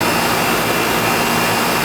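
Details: Older outdoor AC condenser unit: even rushing fan air with steady compressor hum, no knocks or rattles; TXV system with subcooling at 9, correct charge; running healthy.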